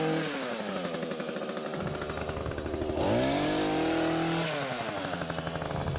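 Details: Two-stroke hedge trimmer after repacking the nearly empty gearbox with grease: revs up and settles with clean buzzing, no metal-on-metal grinding; grinding noise resolved.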